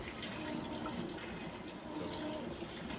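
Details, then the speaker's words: Maytag washer on its wash cycle with a heavier load (timer raised to 42 minutes): water swishing over a steady low churn with no knocking or grinding. The agitator is working normally. "But this is the wash cycle here. You can see the agitator working perfectly in there, doing a real good job getting those clothes agitated."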